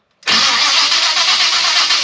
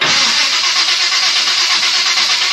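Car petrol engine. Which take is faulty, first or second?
second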